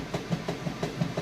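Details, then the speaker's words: Kenmore 400 series super capacity washer agitating a very heavy load: even, rhythmic thumps about six per second, no grinding or squeal; strong, healthy agitation. "can hear it's got a good strong agitation it's getting those clothes nice and clean"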